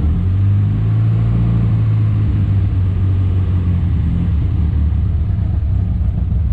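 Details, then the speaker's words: Morris Minor budget build, just restarted after sitting a while: ran smoothly on brake cleaner but rough once on its own fuel; low, lumpy, uneven idle, owner says definitely a fueling problem; rough running. "yeah definitely got a fueling problem as soon as she used up the brake pedal she wasn't happy and i'm guessing now she's got no chances don't know she does just a bit rough"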